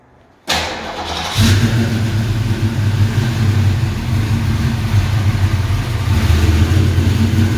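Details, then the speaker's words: 427W V8 Fox Body Mustang build, startup: quick crank, then an even, deep idle sounding tame through the mufflers but very responsive, no knocks or ticks; healthy start. "it sounds really really tame with these mufflers but it's uh very responsive"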